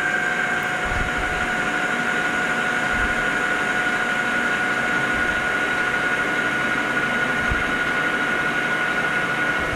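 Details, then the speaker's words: Lathe turning O1 tool steel boring bar stock outside diameter with a new insert: steady even hum with constant high cutting tone, no chatter or squeal; normal cutting, tool cutting well and on size. "really happy with how the tool is cutting and perfect look at that right on the money"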